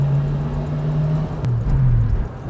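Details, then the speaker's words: 1965 Ford Mustang convertible, 289 V8 with 4-speed manual, driving at low speed: deep, even tailpipe rumble, revs up quickly, no misses or rattles. Normal exhaust rumble. "this motor revs up real quick nice and pey nice Rumble out the tail"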